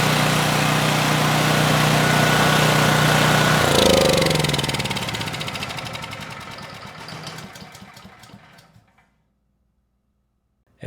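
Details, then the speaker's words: Powermate 5000 W generator (engine 185432-0606-E1) running after engine repairs, diode fix and restored residual magnetism: steady, even hum at constant speed, no knocks or hunting, then winds down smoothly; just over 60.5 Hz, normal running. "You know, the engine sounds good, and surprisingly, the engine speed is almost perfect. It was just over 60 and 1/2 Hz."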